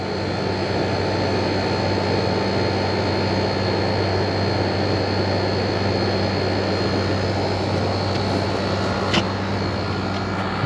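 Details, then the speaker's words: Refrigeration unit at a liquor store with a newly replaced condenser coil (old one leaked), restarted after pump-out cycles, head pressure rising: steady whooshing hum, constant tone, no grinding, rattling or scraping as the condenser fan kicks on; normal. "should be a ripper now there we go Ripper head pressure comes up fans will kick on right let's hope there we go"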